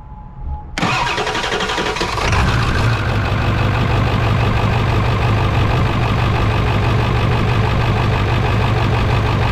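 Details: 1999 Ford F-350 7.3 diesel, cold start in high-40s/50s weather, leaking fuel bowl drain valve: cranks, catches, loud uneven loping idle instead of smooth clatter, a cylinder possibly not pulling; cause suspected, not confirmed.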